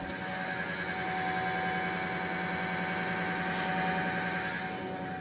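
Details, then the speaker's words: Electric fuel pump on a Dodge D100 with Holley Sniper EFI, powered after adding a sump for better feed, heard close up: a steady, even whir with no surging or cavitation rattle. It runs smoothly and fuel pressure holds steady. "that thing sounds so much better now though and that fuel pressure does not budge"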